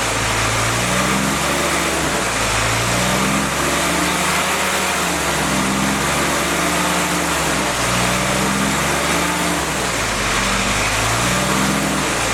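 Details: Freshly rebuilt CJ5 snowblower Jeep F-head engine during break-in, original cam: smooth even note swinging up and down in speed every few seconds, no knocks or ticks; normal running.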